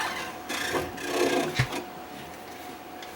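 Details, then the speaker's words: Stamina InMotion E1000 mechanical elliptical trainer: dry rasping scrape in bursts as the wheel turns, caused by a rod scrubbing against the wheel; reported as a squeak, since fixed. "so the issue is associated with this rod and in fact the issue was associated with this wheel and we're going to take another closer look at that so as it turns it's scrubbing the"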